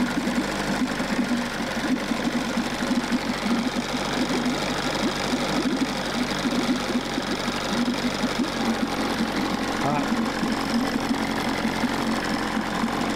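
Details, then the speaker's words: Fast, buzzy steady two-stroke idle: 1994 Johnson 6hp outboard runs but cylinders feel too hot despite good water flow and cool water; owner suspects thermostat not opening, unconfirmed. "The cylinders feel hotter than they should, so potentially the thermostat's not opening up, because we've got good water flow."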